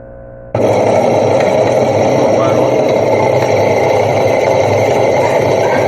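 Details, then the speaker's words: Electrolux LT15F washing machine with the drive belt removed: loud, steady roar like a train on rails that bursts in and holds at spin speed, from the drive motor's worn bearings rather than the transmission. "viram Só o barulho que é então agora problema do barulho é o motor"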